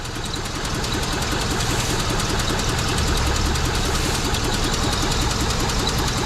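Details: 2003 Mitsubishi Eclipse four-cylinder petrol with P0300, power loss and high fuel use: rough, lumpy idle with an uneven chuffing beat and raw fuel smell, only two of four cylinders working, multi-cylinder misfire.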